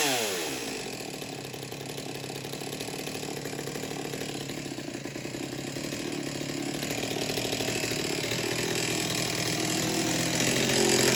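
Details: Farmertec Stihl MS200T clone chainsaw, newly built, warm restart after venting the fuel tank cured a restart problem: catches right away, steady crisp two-stroke buzz climbing slightly and holding even, no bogging; running fine.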